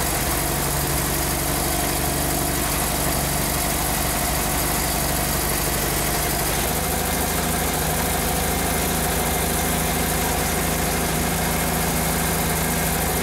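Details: 47-year-old Porsche 914 with antiquated fuel injection and a no-start, after connecting the cylinder head temperature sensor: steady, even idle with a low settled hum and no knocks, misses or stumbles; normal idle.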